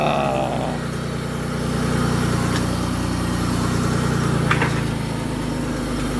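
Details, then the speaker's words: 2008 Mercury Mariner project running after a remote auto-start: smooth, steady low idle with an even beat and no knocks or misses; normal idle. "talk about kicking the teeth it runs everything that the other one does"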